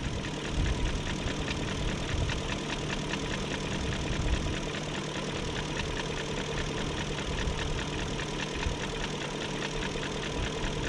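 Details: 2001 BMW E38 740i Sport V8 at idle after timing chain guide, tensioner, gasket and seal replacement: fast, light, even tick over smooth idle, following engine speed; no codes, no exhaust smoke; owner wonders if VANOS unit failed, source unconfirmed.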